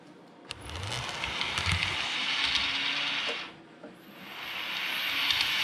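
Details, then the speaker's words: Realtrack Class 156 model train (RT156-312) after running in: fine running forwards, but a thin high squeal over the motor whirr when running backwards; suspected dry motorised wheelset needing lubrication. "If I go forwards, perfectly fine, but if I send it backwards, it squeals real bad."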